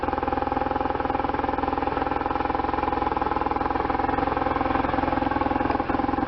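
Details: 1998 BMW R1100RT boxer twin, first run after restoration, throttle bodies not yet tuned; steady, even low putter at idle, regular pulses with no knocks or misses, a healthy idle.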